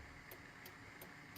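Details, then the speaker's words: 1999–2007 Chevrolet Silverado/GMC Sierra whose left turn signal stayed solid or didn't light, after the flasher was replaced: crisp, even clicks about three a second; it flashes at normal pace on both sides, though the new unit sounds slightly different. "We're flashing, normal pace. The component itself sounds a little bit different, but I ain't that worried about it."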